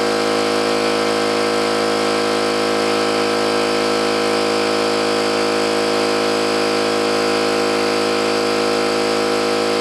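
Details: New oil-lubricated Campbell-Hausfeld air compressor, during a half-hour run: steady even drone with unchanging pitch, no metallic clatter or knocking, unlike the old Brute; pumps smoothly and sounds healthy.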